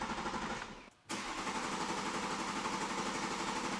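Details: Rebuilt wrecked BMW X5: steady starter cranking about four turns a second with no firing; owner then primes the fuel pump and suspects the starter is getting fried; crank no start.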